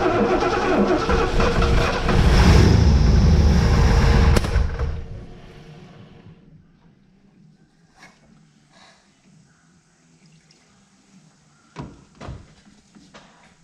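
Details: 1971 Lincoln Mark III barn find after freeing a stuck throttle shaft, fed only gas poured into the carburetor: a loud, lumpy roar surges for about four seconds, then fades and dies with a few pops; fuel starvation without a fuel supply.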